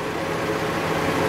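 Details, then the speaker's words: 1998 Saturn SW2 after a new fuel pump install. It previously died within 10 minutes but has now idled nearly an hour without stopping or dropping: even, steady, smooth idle. White smoke is suspected from wear or worn valve guides. Normal idle. "fired it up and it's been running for almost uh almost exactly an hour now a few minutes shy of an hour it hasn't stopped or dropped once"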